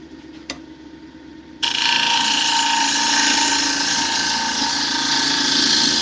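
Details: 8x4-inch walnut bowl on a lathe, thinning side walls with a gouge: quiet spin, then the cut bites and the tone turns harsh and rough as the gouge tears out end grain.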